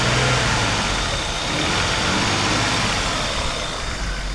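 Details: Vauxhall engine after replacing a spark plug lead near the coil pack: revs up cleanly and settles back without misses, pops or knocks; replacement lead solved the problem, runs smooth.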